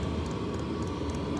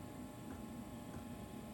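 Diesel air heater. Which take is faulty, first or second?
second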